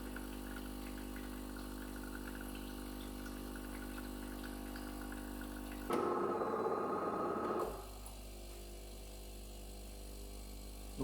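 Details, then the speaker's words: DeLonghi EVO coffee machine (FEB2961/FEB2981) during descaling rinse phase; steady pump hum swelling then settling, no water from milk frother or coffee spout because it flows internally; normal pump noise. "donc là on entend la pompe et on voit pas d'eau couler ni par la médiateur ni par la buse de café c'est normal puisque ça coule à l'intérieur"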